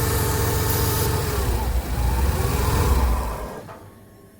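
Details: 1999 Ford Econoline 4.9 inline-six stalling at idle, no check engine light; vacuum line removed then reconnected during MAP testing; low uneven idle that sags and dies within seconds; rough idle from faulty MAP sensor.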